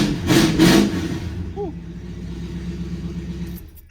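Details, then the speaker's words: V8 started with its muffler removed: loud raw bark at start-up, a harsh rev, then an open, blatty idle with no muffler fitted. "Now you always got to fire the car up with no muffler. It just has to be done. Can't not do it. Let's see how it sounds with nothing."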